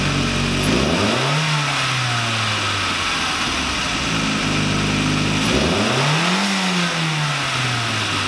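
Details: VW Lupo 1.8T turbo first restart after engine failure, rebuilt with H-beam conrods, new bearing shells and 2 mm thick head gasket: two clean throttle blips from smooth idle, revs rise and settle evenly, no rattle or miss; runs very well.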